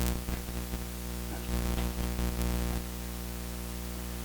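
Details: Steady low mains hum with buzzy edge in an interconnected audio setup: AC ground loop; audio ground lift worsened it, ground wire to console only partly quieted it.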